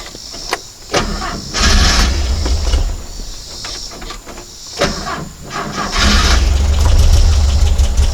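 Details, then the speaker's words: Porsche 912 with Dellorto DRLA carburettors, recurring problem on every start: engine catches and stumbles in uneven lumpy surges instead of a steady idle; clogged carburettor idle jet starving it, usually cured by cleaning the idle jets. "so this is pretty much what I've been experiencing every time I start this car I have a clogged jet somewhere in here and I take them apart clean out idle jet here or there and you'll start running well"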